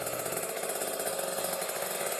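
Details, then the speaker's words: Kawasaki Ninja RR two-stroke with a Mikuni 28 carburetor, rich setting with the choke on, throttle held near 2000 rpm: raspy, heavy, smothered sound rather than crisp, running too rich. "contohnya Suaranya kayak gini nih basah itu seperti kalau kebahasaan banget itu seperti dicuplik kg nih saya coba dicek ya Nah ini posisi cuk ya saya gas RPM 2000 lah nih"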